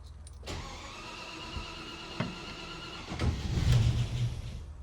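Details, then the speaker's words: Land Rover Series 2A, first start attempt on unleaded petrol after years on LPG, new fuel pump fitted: starter cranks steadily few seconds, a rougher burst, never fires; owner suspects flooding; cranks but won't start. "No, it looks fine. might be flooded."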